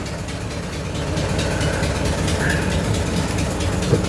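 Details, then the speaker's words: 100-year-old 1924 Dodge truck engine idling shortly after a dry start, about 40 lb oil pressure, no smoke: quick, fairly regular ticking about four per second over the slow idle; leaking exhaust joint puffing. "I must have got to adjusted pretty good got an exhaust leak huh"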